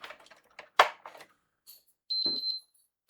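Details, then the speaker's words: PS5 console, power cable plugged in with another connection left unplugged: a few plug-in clicks, then three quick high-pitched beeps together; triple beep on power connect, suspected BIOS issue or full UART database, not confirmed. "I believe it's beeping when the power's plugged in, so I'm just going to verify that issue."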